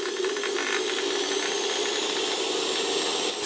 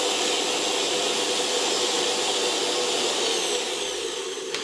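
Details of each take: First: Century-old interwar Electrolux VII vacuum motor, reassembled after its Austrian STEYR 22x7x7 mm bearing lost its inner race and probably ran the rotor crooked: steady hum with loose irregular rattling at low speed, smoothing as voltage and revs rise. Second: Interwar Electrolux VII vacuum motor after reassembly, voltage raised to high speed: steady hiss-like whir, faint whine, no more stalling or slowing; cause was likely rotor mounted crooked in its STEYR E7 bearing, not damaged winding; clatter remains at low speed.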